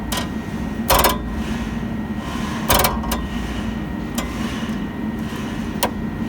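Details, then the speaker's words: Nissan Altima or Sentra rear-end rattle while driving over light bumps: sharp plastic clacks and short rattles over road rumble. A loose trunk lid torsion bar clip is the cause; fix is to flip and re-clip it and wrap it with tape. "And if this is the problem, the noise is going to sound something like this."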